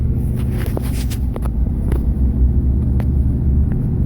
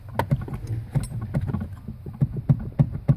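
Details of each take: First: 2005 Chevrolet Silverado 2500HD on a test drive over rough patches where the steering column used to rattle for about 10 years, after replacing the steering column bearing: steady low road rumble, occasional faint tick, no rattle; steering feels tight, fix confirmed. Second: 2005 Chevrolet Silverado 2500HD steering column shaken by hand gives dull loose clunks about three a second; worn white upper column bearing is the rattle source after intermediate shaft replacement didn't fix it.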